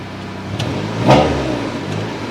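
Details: 1998 Honda Civic right after installing a 255 LPH eBay Walbro-replica fuel pump: a quick, clean rev rises and falls back smoothly without hesitation or sputter; fuel delivery keeping up fine.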